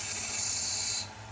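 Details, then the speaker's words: Engine on emissions analyzer with induced vacuum leak via regulator: loud sharp hiss over low pulsing idle, then dropping away; lean mixture, fuel trim reaches +27. "See, so now at this point we're driving it lean, right? So if we're driving it lean, what are we going to expect to happen?"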